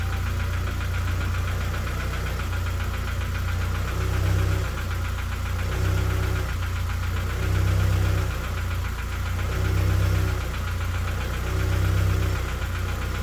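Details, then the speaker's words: K-swapped Honda Civic idling at about 37 degrees after fresh build, with a fast metallic rattle swelling about every two seconds; owner suspects the wheel spacer, not confirmed. "that's good that rattling noise you can hear don't panic it's just the wheel spacer"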